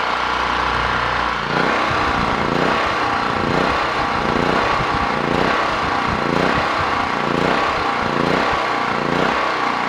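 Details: Generator on its replacement carburetor, choke pulled fully open after 5–6 minutes on half choke; speed swells and sags about once a second and never settles. Surging; owner says the carburetor adjustment does nothing; cause unconfirmed.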